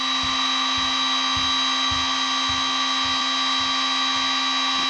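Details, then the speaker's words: Milwaukee battery rotary tool (Dremel-type, 11 speeds) at top speed, about 30,000 rpm; steady high-pitched motor whine with faint regular low thump; normal running. "yeah pretty much faster than this thing can Cho 16 18 21 oh oh yeah 30,000 okay right on the money for once they ain't lying"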